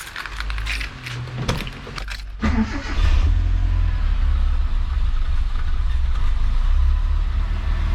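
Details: Mitsubishi Sigma just fitted with a 32/36 Weber carburettor (adapter kit) replacing the failed Mikuni: some handling knocks, then the engine catches and settles into a steady, even low idle without stumbling; choke working well. Normal start and idle.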